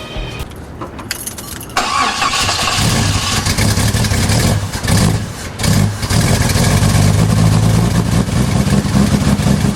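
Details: Jeep after the distributor was rotated slightly, with a new harness and plugs: it cranks, catches after about two seconds, then settles into an uneven, stumbling idle. It is running rough because the ignition timing is still off.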